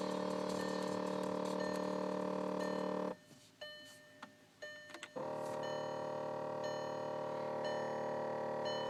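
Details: Intermittent electrical buzzing from behind the passenger-side footwell/floor area: a steady, nasal buzz that cuts out for about two seconds and then comes straight back; exact source unclear.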